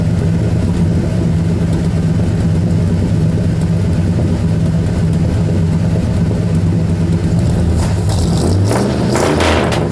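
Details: 1972 Ford Custom cold start, recorded at the tailpipe: deep, steady, even rumble with no misses or ticks; a loud, healthy V8 idle.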